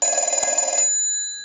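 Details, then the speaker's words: Stromberg Carlson 1198 telephone with 1561 bell box, bells adjusted during repair; analyzer ring cycle, red light marks each cycle, bell switch toggled: rapid even trill under a second with clean ring-down, normal bell ringing. "I'll let it ring in and we'll turn it off every time you see that red light that's a ring cycle and turn it back on"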